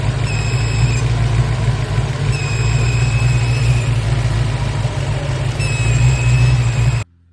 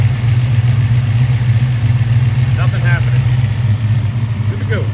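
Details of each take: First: Supercharged engine at steady idle: a thin, high whistle that comes and goes over the rumble; the supercharger bypass valve failed a vacuum test while a new one held vacuum, so the leaking bypass valve was replaced. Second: Car at idle after replacing a boost bypass valve that failed to hold vacuum: steady even low hum, no hiss or whistle; engine and new bypass valve sound normal.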